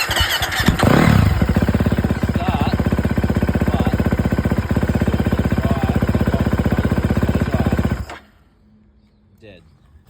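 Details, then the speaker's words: 2011 KTM 350 SXF single with the idle turned up: it revs and runs evenly for several seconds, then cuts out and won't restart. Fuel pump suspected; later fixed by swapping the tank/fuel pump, injector and spark plug. Engine stalls after starting. "I went the idle right up and it still died won't start again so I'm assuming it's the fuel pump"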